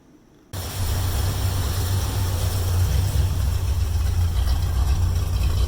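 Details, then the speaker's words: 1972 Mercury Comet small-block Ford V8, new plugs and wires with firing order corrected, idle lowered while warming up: low steady idle about four pulses a second, less choppy, no misfire. "it sounds a little less choppy that's for sure so sounds pretty good though"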